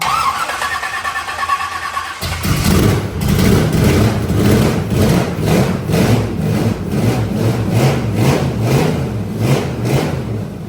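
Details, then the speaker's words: Carbureted burnout truck being rebuilt for a competition; fuel sprays from the front of the carburetor but not the back, and timing may be slightly off. It cranks, catches and settles into a loud, lumpy, uneven idle. The owners plan to pull and redo the carburetor. "I mean, but it's definitely a fuel issue. Not saying that the timing's not still off a little bit, but it's definitely a fuel issue."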